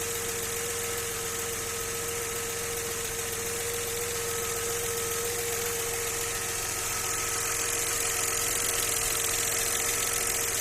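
Even idle with a light knock repeating roughly three to four times a second over a steady engine drone; unexplained knocking at idle. Cause suspected, not confirmed.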